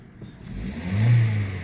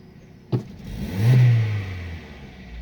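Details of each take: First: Vauxhall/Opel Astra 1.4 16v X14XE with LPG conversion, running on petrol: quick clean rev from idle, no hesitation or lag, confirming the misfire/lag comes from the LPG conversion, not the coil pack. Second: Opel/Vauxhall Astra 1.4 16-valve X14XE petrol with LPG conversion, before warm-up: sudden full-throttle pedal gives hesitation, engine rises slightly, sags and rpm drops instead of revving; gentle throttle is fine; spark plugs to be replaced.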